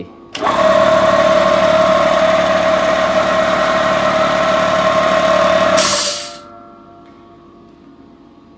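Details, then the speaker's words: Restored small piston compressor with new parts and new vibration mount, copper pipe routed by the pulley for cooling: starts, runs quietly with a steady even hum and fine rapid pulsing, then shuts off. "О, цей буде гарно, тихенько. Це є нове."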